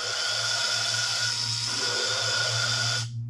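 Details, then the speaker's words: 1997 Land Rover Discovery cylinder head, valve lapped with drill, hex bit, hose and water-based compound: steady drill whine with gritty hiss turning from chunky to smooth; valve seat lapped in. "you hear that smoothing it goes from more of a you know like a chunky sound to more more of a smoother more I don't know"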